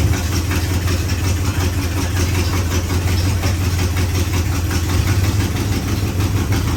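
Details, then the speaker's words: 1956 Chevrolet Bel Air 265 V8, freed from seizure, second-ever start: deep steady idle with sharp quick puffing tick at the manifold; massive exhaust leak, header gaskets shot, one side lacks a gasket to the cherry bomb. "Massive exhaust leak, yeah. I'd say those gaskets are shot on that header."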